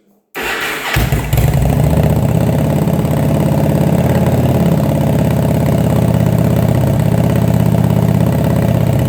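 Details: Engine started after carb rebuild, fed from a remote fuel bag, first start after winter storage: quick start, then a strong, even low burble at steady idle with no misses; the four-cylinder runs cleanly.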